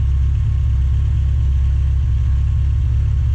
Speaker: That fan is going at the moment, it's up to running temperature. The temperature gauge is on normal.